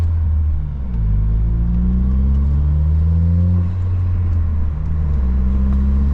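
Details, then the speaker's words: Saab 9-3 driving under acceleration with a misfire that started suddenly: uneven, stumbling rumble, revs sagging and hesitating, badly sputtering and skipping; coil packs and spark plugs changed about a year earlier; cause then being diagnosed. "So, I don't know if you could tell on the camera how bad it's sputtering, but it's really not pleasant."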